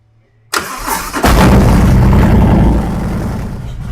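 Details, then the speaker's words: 2020 Harley-Davidson Street Glide, built 128-inch Milwaukee-Eight with ThunderMax tuner, being diagnosed for an intake leak, first start for idle tune, rev limiter 6,000: fires at once into an even lumpy idle, no popping or hiss; normal start-up. "We're going to monitor it and we're going to fire it up and see fire it up and do our first uh idle tune."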